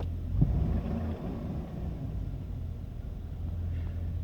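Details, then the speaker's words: Old GMC Sierra V8, about 224,000 miles, cold 47°F morning, slow cranking from weak battery: steady, even low idle rumble with no knocks, ticks or misses; engine still runs fine. "You can see I mean, you can hear the engine still runs fine."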